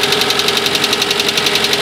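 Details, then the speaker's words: First start after a head gasket replacement and engine rebuild: crisp, fast, even ticking about eight a second over a quiet idle from hydraulic lifters still priming with oil, considered normal and expected to fade. "alors ça claque un petit peu tu entends le ttic ouais ça c'tait pousir hydraulique il faut qu'il s'amorce avec l'huile d'accord c'est normal ça fait ça fait un peu ce bruit là au début"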